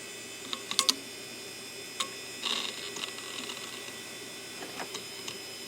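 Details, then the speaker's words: Western Digital Caviar 10GB IDE hard drive, eBay unit labelled click of death: soft irregular ticks and chirps over faint hum, heads keep seeking without becoming ready; failed drive. "Okay, it probably is not working cuz I can hear the head kind of. It's the head is trying to seek in there. It's not particularly a click of death, but it is trying to read."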